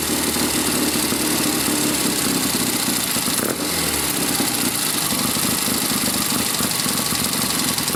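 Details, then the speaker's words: 1972 Triumph Tiger 650 twin, which would not stay idling, after the Amal carburetor was cleaned and the points regapped to 15 thou; it had been parked a while. Now a steady, busy idle that holds without stumbling or dying. "Well, sounds like it's on its way to being able to idle again."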